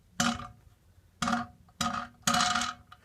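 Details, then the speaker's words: Newly built scooter drop-tested on the ground: four sharp, clattery knocks, each with a short tinny rattle, from the SES compression bolts moving; normal, nothing wrong. "If you hear any rattle, it's the bolts of the SES. That's just because, you know, yeah, it'll rattle around a little bit."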